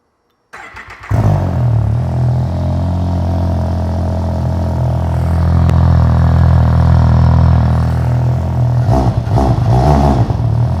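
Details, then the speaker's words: 2020 Ski-Doo Renegade Ace 900 Turbo snowmobile, start after installing an MBRP Trail Performance exhaust replacing stock: engine catches into a deep, even burble with a swell of revs, clean and steady; better than stock but not obnoxious. "Sounds good to me, a lot better than what the stock was, but not obnoxious."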